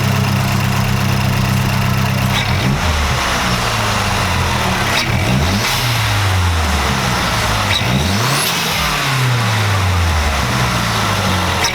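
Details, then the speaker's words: Mazdaspeed3 with a 3.5-inch intake and Corksport intercooler, warmed up and free-revving. Clean rise and fall with a crisp turbo whoosh and a short puff from the stock bypass valve on lift-off; healthy. "you just hear the anti goes up that's all the stock bypass valve"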